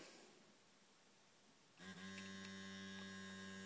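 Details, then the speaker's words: Restored 1950s Mallory vibrator, contacts cleaned, converting 12 V DC to about 200 V pulsed AC: after a quiet start, a steady even buzz near 100 Hz with a bright edge; running properly. "the first thing is you can you now know why it's called a vibrator you can hear that that's the noise it makes"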